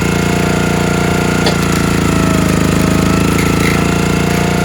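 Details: Countyline 25-ton log splitter small engine, after months sitting; carb cleaned, jets picked, gas tank cleaned, outer gasket poor. Splitting beech under load it chugs unevenly, firing irregular, misfiring and stalling out; owner suspects carburetor fuel delivery, unconfirmed.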